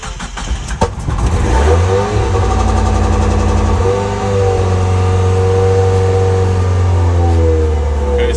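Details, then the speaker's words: Mazda Miata on MegaSquirt standalone ECU, settings just loaded via Raspberry Pi and TunerStudio, clutch in: short crank, catches, settles into a smooth, even idle with no misfires or ticks. Normal start and idle. "so far so good hopefully you guys can hear me and the mic doesn't sound broken this time but engine sounds good so far"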